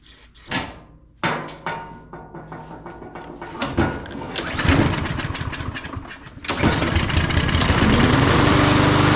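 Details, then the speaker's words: Craftsman M230 push mower, hard to start and smoking, started with carb cleaner; sputtering catches and stalls, then a rough uneven run that settles somewhat, suspected oil in the cylinder or flooding/poor fuel starving the plug. "So in this case, what we had is we had an issue with probably some oil being up in that cylinder and causing that spark plug not to have quite enough fuel air mix in there to get it started."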